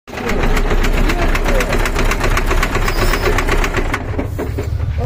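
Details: KamAZ truck diesel at idle: heavy rumble with a sharp metallic knock about three or four a second; knocking engine, cause unclear.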